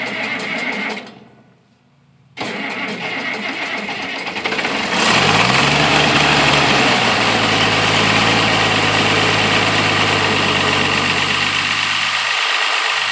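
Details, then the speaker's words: International 856 tractor, cold-weather start with the muffler still fitted, before the straight pipe: a few seconds of cranking, then it catches and settles into a steady, even, muffled idle; normal cold start and idle. "I'm going to crank it now and uh if it'll crank it's a little cold out here if it'll start uh I want y'all to will listen to it listen to it uh with the muffler"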